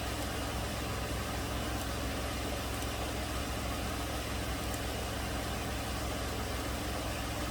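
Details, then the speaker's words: 2008 Toyota RAV4 3.5 V6 with codes P0300/P0302/P0304 and misfires on cylinders 2 and 4. After unplugging the No. 2 coil the misfires stopped; steady, smooth idle with no stumbles, cause still unknown. "that's weird after i'm plugging number two coil the misfire has gone away oh boy not counting any misfires on number two or four now"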